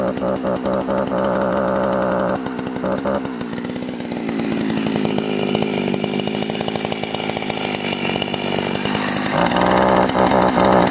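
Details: Sachs Dolmar 43cc chainsaw with timing issues; it fires readily and revs hard with a crisp, even buzz, dipping under load and recovering cleanly, running well.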